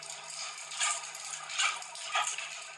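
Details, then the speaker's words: Mock-up battery energy storage system of eight 1.7 kWh modules, two cells of 64 overcharged into thermal runaway: a steady roaring hiss of venting flame with sharp crackling bursts about every half second as the flame jet spalls the concrete wall behind. "what you can't see is that the flames out the back are hitting the wall now that crackling noise that crackling noise kind of confused us for a bit"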